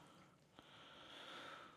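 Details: Slow-draining kitchen sink with an unvented S-trap gives a wet, breathy sucking gurgle; fix is converting to a P-trap with an Oatey air admittance valve; drain gurgling from missing vent.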